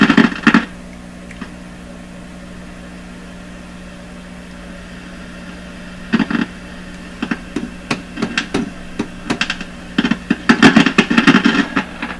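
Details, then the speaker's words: 1929 Victor RE-45 radio that went silent after capacitor replacement, heard during signal tracing while probing around a capacitor. A steady low hum has sharp, irregular crackles that grow busier. An intermittent loose connection is suspected. "That's better. Output. Oh my gosh. Crazy in the output."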